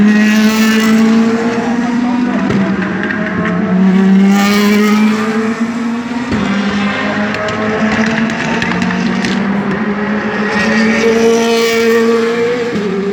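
Loud V8 at speed with an uneven, stumbling beat and pops breaking up the tone as revs change; it's misfiring.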